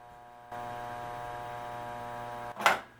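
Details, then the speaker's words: Williams System 11 Elvira and the Party Monsters pinball flipper fitted with incorrect parts: a steady buzz while the flipper is held up, then a clack on release. The plunger isn't making clean contact with the coil stop. "if you listen closely you can even hear them buzzing when you hold the flipper up"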